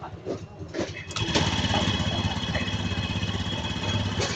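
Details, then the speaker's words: Honda Scoopy-i scooter just after a drive belt replacement, pulley nut refitted: engine starts and settles into a steady even putter with no knocking or grinding. The earlier loud noise first thought to be a connecting rod or crankshaft failure was not that. "ไงครับจากเสียงที่มานาๆนะรับทีแรกลูกศิษย์บอกว่าก้านสูบหรือว่าข้อเหวี่ยงพังไม่ใช่เลยนะครับไม่ใช่อ่ะดับเครื่อง"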